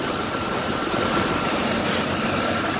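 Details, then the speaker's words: 1988 BMW 325ix E30 blower motor after WD-40 lubrication where the wheel meets: even rush of air over low engine idle with no squeak or chirp; blower running smoothly and quietly, normal operation. "I don't hear the squeak anymore that's all I have to do I don't hear nothing so it's gonna be nice and quiet"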